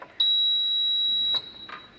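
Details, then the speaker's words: Relay buzzer experiment on a microcontroller kit after flashing the hex file: pressing the switch gives one clean steady high beep of about a second with LED lit, switching on and off cleanly; works normally. "Okay, so when the switch is pressed, okay, so can you hear the buzzer sound as well as LED glowing?"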